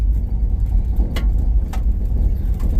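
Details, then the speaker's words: A car's first drive in 50 years, rolling with a new brake booster and master cylinder: a low, steady engine rumble broken by three sharp, irregular clunks, a loose rattle. "hopefully y'all can't hear that rattle I'll stop and get it out"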